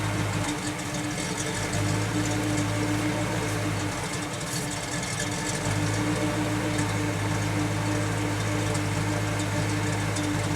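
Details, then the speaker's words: 1991 GMC Jimmy with new PCV valve, cold idle: steady low drone sags for a couple of seconds then recovers, near-stall dip though usually only happens warm; unstable idle, ongoing stalling issue. "But she just idled down. Down and came back up. We're going to have a stall issue here."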